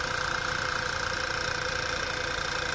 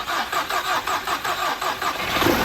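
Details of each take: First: 2011 Volkswagen CC first start after work, battery at 12.1 V sagging during cranking, then charging at 14.3 V: engine smooths into an even, steady idle with a light regular tick, no misses. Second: 2011 Volkswagen CC first start after work, battery 12.1 V dropping to about 11.3 V while cranking with a booster connected: slow, labouring crank at four or five strokes a second, starter dragging; hard cranking from low battery voltage.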